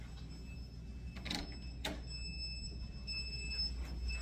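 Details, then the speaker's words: Sump pump alarm: thin, high electronic beeping over room hum and footsteps, sounding because the power keeps going out. "can y'all hear that beeping that is the stmp pumps because the power keeps going out and they are operated by"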